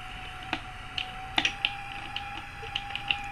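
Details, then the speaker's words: Courier Centurion 23-channel AM-SSB CB base station, about 1981, originally non-working: faint hum with irregular dry clicks and scrapes as something drags inside the built-in clock; clock to be removed and checked. "And you can hear the noise from the clock. Something's dragging in the clock."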